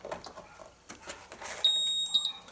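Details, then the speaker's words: Electrolux washing machine electronic control board on the bench, powered up without the interface after checking the supply section (-12 V in, -5 V regulator out): a clear high-pitched beep, which should sound; if it doesn't, there is normally a problem. "barulhinho tem que fazer tá quando nos se não faz normalmente tem problema ele"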